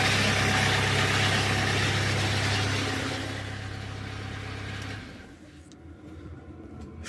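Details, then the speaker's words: Audi A4 B7 2.0 BLB diesel, 464,000 km, idling with a harsh scraping rattle from low in the engine (oil pan), then shutting off; cause is the balance-shaft oil pump. "іде із з піддона в піддоні у нас що знаходиться правильно масляний насос із баланср валами проблемний маслонасос"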